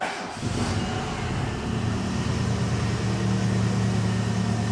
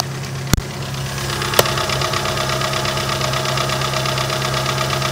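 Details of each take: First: Renault Megane 2 1.6 automatic after major engine repair, old tensioner and drive belt still fitted: short start then steady, even, smooth idle with no knocking or misfire; engine runs well, normal idle. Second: Renault Megane 2 1.6 automatic, after an engine flush and a new intake camshaft, idling over a loud exhaust (the flex pipe needs replacing): sharp, rapid ticking that speeds up when revved. The hydraulic lifters knock very hard, and the knock is expected to grow as the engine warms.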